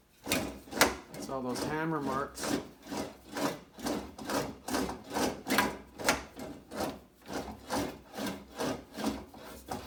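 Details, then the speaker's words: English wheel on light pressure over the repaired left rear fender of a 1950 Chevy 3100: rhythmic gritty rasp about twice a second as the panel rolls back and forth, rough because of hammer marks in the metal. "Okay, now, so I'm going to wheel it a little bit. I'm going to set it on light pressure. Hear how rough it sounds?"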